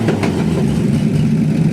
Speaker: 2 days in a row. 2 days in a row. Runs sweet. It does. 250 cubic inch inline 6.